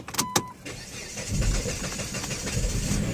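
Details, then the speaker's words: 2008 Chrysler Sebring with a no-crank no-start, shift cable off, shifter put back in park: a few clicks, then a short crank catches quickly into a steady run; ignition key sticks, owner suspects a failing ignition switch. Normal crank and start. "started right up"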